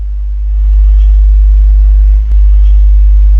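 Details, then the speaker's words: Alpine MRP-M1000 car amplifier on the bench: steady low hum at switch-on with no input signal; suspected RCA problem or isolated-ground power supply, not confirmed. "Donc j'appuie, je l'allume. Voilà, vous entendez le bord le le bourdonnement."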